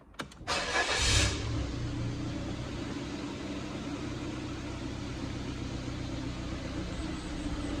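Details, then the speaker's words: Ford Fiesta Titanium automatic: a brief crank, then it catches quickly into a steady, even idle with no knocks or misses. Normal start. "Really running nice. Yeah, it's really coming along, this car now."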